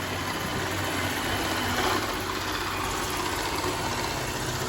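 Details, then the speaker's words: iRobot Roomba S9+ robot vacuum on low power on hard floor: steady loud hiss and whirr with low rumble, rollers sound like they catch on something, though nothing was found caught in them; loud roller noise, cause unclear. "not so much the vacuum suction power but the rollers here kinda like catch it on something"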